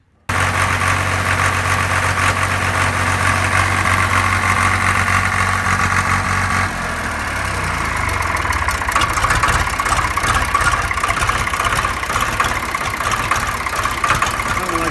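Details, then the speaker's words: 1974 John Deere 300B loader backhoe diesel idling unevenly, then stumbling and sputtering with an irregular beat after an injection pump timing adjustment; the failed Stanadyne Roosa Master injection pump was later removed for rebuild. "we're going to find out because right now it runs like crap and I don't see how I can make it worse"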